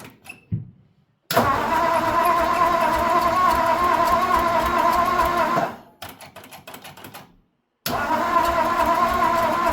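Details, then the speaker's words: 1954 Ford, first start attempt during body swap: starter turns engine over in rhythmic bursts with pauses but never fires; owner suspects ignition points need sanding, not confirmed. "Well, she's cranking, but I suspect the points probably need a little sanding on, you know."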